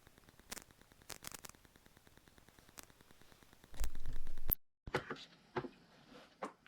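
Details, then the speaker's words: Rode VideoMic Go on a camera in a quiet country church with no Wi-Fi nearby; irregular sharp pops and crackles audible in quiet spots, then a loud burst and dropout; faulty microphone or connection. "this constant sort of popping once the band gets playing you don't hear it but but certainly in all the quiet spots and while people talking anyway"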